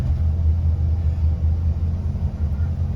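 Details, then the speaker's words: 1972 Lincoln Continental 460 big-block V8 after a carb rebuild, idling: deep, lumpy idle with a loose, uneven rattle from the rear, the worn, possibly original muffler rattling on the single exhaust, needs muffler and resonator replaced. "later the muffler is rattly that's what you hear in the back but muffler definitely needs to be replaced"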